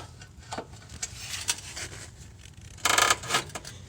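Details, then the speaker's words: Nissan Versa with a front-end noise after a recent brake job: sharp irregular clunks and rattling knocks as a pry tool levers the lower control arm, whose bushings are torn and separated. "look at the bushing on that little control arm it is torn and look at this bushing right here it is separated"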